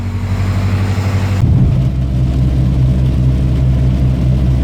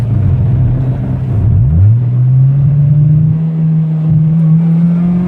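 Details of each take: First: Honda with OBD1 B18B1 engine, warmed up after a cold start, starts and idles fine: under throttle the note pulls steadily then after about 1.5 seconds drops and goes ragged, cutting out under load; still unfixed after injector cleaning. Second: Honda with OBD1 B18B1 engine after cleaning and rebuilding the injectors, adjusting valves, fixing the PCV system and cleaning grounds/replacing a ground wire: smooth, even full-throttle pull with no stumbles or misfires; engine now runs clean on multiple half-hour to hour-long trips.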